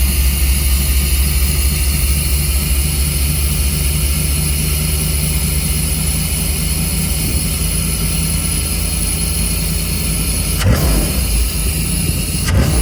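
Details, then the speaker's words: 1990s Chevy 350 5.7 V8 campervan idling after replacing fouled spark plugs and cleaning ground wires: steady, even low rumble, no misfire, stumble or knock, a couple of light clicks near the end; owner thinks it idles too hot, may adjust timing. "All right, I didn't want to make this like a long, drawn out how-to video, but swapped out the plugs and I cleaned the ground wires off, and Bluey is back."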